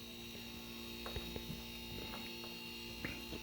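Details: Homemade silent air compressor built from two fridge compressors filling an 8-gallon tank: low, steady mains hum with a few faint clicks, no knocking or strain; compressors pumping quietly and healthily.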